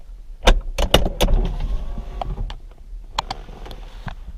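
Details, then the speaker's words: 2004 Porsche Boxster 986 2.7 window after fixing the regulator's scratching noise without removing the glass, tested by popping the soft top: a few latch clunks, then a brief smooth motor hum as the glass drops; normal operation. "ready drum roll please look at that no annoying sound or anything okay now one last test i'm going to do is i'm going to pop the soft top and make sure the windows lower like they're supposed to"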